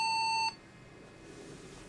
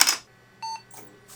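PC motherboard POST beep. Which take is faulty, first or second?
first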